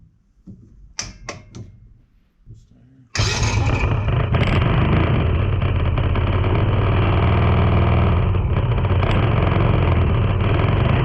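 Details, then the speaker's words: Tao Tao 110cc ATV quad with new carburetor and intake, started via jump pack (owner suspects starter, to be replaced): holds steady smooth raised fast idle on choke, more RPM; normal fast idle on choke. "Hear that, but definitely giving it more RPMs. Put the choke back down."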